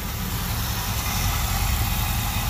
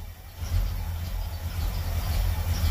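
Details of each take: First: 1977 Chevy Camaro V8, first run with a hot lead from the battery to the distributor: a deep, steady, even rumble with no clicking or clacking; smooth idle on all eight cylinders. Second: 1977 Chevy Camaro V8 at idle; deep uneven loping pulse rising and dipping about twice a second; owner suspects an aftermarket cam, no oil gauge so oil pressure unknown.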